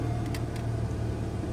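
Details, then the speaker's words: 2008 Pontiac G6 with engine running: a few sharp clicks from under the dash over the idle hum, the recirculation door actuator failing, to be replaced (part 604-109). "So, y'all hear that clicking? Yep. Let me see. I'll make it do it again. It's coming up from under the dash. That's the recirculation."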